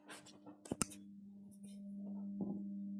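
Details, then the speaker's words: Vaillant Ecotec Plus boiler with heating and hot water on and system pressure over 3 bar: steady low electrical hum from the fan, powered but stalled with no airflow; fan appears to have failed. "if you can hear that often Mike it sounds like the fan sound like whinings on the fan not gone"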